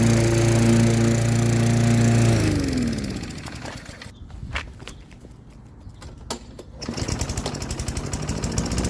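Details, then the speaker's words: Lawn-Boy mower with a Tecumseh 4.5 hp four-stroke engine, revived after sitting 20+ years, cutting grass: steady drone sags as the blade bites into grass, then picks back up cleanly. Normal running under load. "so you guys saw that it ran now we're gonna try to cut some grass with it so uh yeah let's give her a go"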